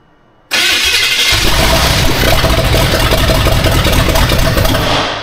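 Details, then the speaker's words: Austin's Buick first start: catches promptly and runs strongly with steady firing beat as throttle is held up; sounds healthy, timing possibly needs adjusting. "I'll try to keep it running. Actually pretty not bad. I don't know if we need timing more somewhere else."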